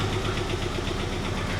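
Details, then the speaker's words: 1988 Saab 900 Turbo that sat a long time: the engine catches and runs unevenly with a quick, regular tapping over the idle, then dies. It is a bizarre noise of unknown cause, and the sound persists on a later restart. "what's up with that what is up with that and then she dies"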